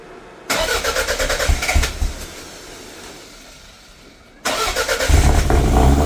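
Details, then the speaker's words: Toyota MR2 with 3S-GTE fifth-gen engine, pre-tune build: cranks, fires briefly and dies, then restarts and revs with an uneven, lumpy miss-like beat though owner says it isn't missing; cause unclear, vacuum lines being returned to stock, new ECU considered. "all right folks you guys heard it it still doesn't sound that great um it almost sounds like it's missing but it's not it's it's really weird"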